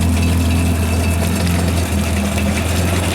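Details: Jet ski (personal watercraft) being readied for the season, running on a hose with good cooling-water flow: a steady, even, low engine drone with no knocks or misses; idling smoothly.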